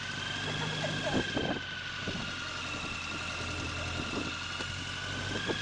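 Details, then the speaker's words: BMW K100 after a seven-month project, running on a Power Wheels battery with choke: an uneven, lumpy idle with stumbles and pops under a whistle. Sticking rings are suspected, a head gasket doubted; rough running. "Just let it run on choke for a while. Sounds like a piece of stuff."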